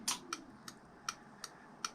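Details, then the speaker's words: MZ TS125 after a 6V LED indicator conversion: sharp, dry flasher clicks at two to three a second when the bike is switched on; the owner suspects current through the blue indicator/charge-light wire triggers it, with a diode planned. "I thought I'd cracked it cuz I put it on can you hear it clicking now these are the wrong kind of"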